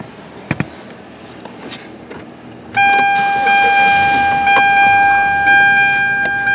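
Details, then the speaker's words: Hyundai Sonata single-zone HVAC with no temperature change: after tapping the blend door actuator it starts moving, a steady whirring tone and the airflow shifting between hot and cold; actuator working again. "Just tapped on it a bit and voila, started moving. You can hear the air change."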